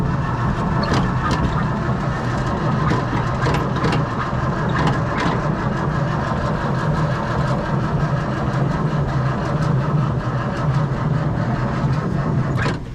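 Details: Old homebuilt military truck unused for over 9 years, fuel pump engaged and starter pressed: steady low starter drone with rhythmic cranking pulses that never catch or speed up, no smoke; engine turns over but won't fire.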